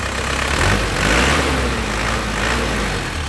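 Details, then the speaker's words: 2003 Isuzu Panther LV diesel, original engine, still hot after a long drive and about half an hour parked: even, steady idle clatter with firm low rumble, crisp, no knocks or misfires; healthy warm idle. "Tapi ini masih panas lagi ekornya hasilnya masih panas ya suaranya bener-bener renyah masih kempel ya kasih enak gitu"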